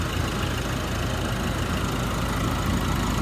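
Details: Nissan Navara diesel after its no-start problem was solved: steady low idle rumble, even and settled with no misses or knocking; runs normally.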